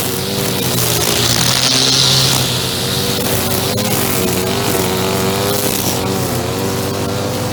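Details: Echo SRM-2400 two-stroke string trimmer, believed mid-1990s: revving high and buzzy with a steady raspy note, no misses or stumbles; running normally.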